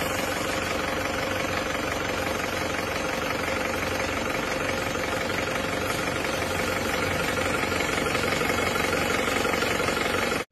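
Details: Isuzu Panther diesel after engine overhaul with new sleeves, liners and polished block: steady even clatter at idle with no loud irregular knocks; freshly rebuilt engine running normally.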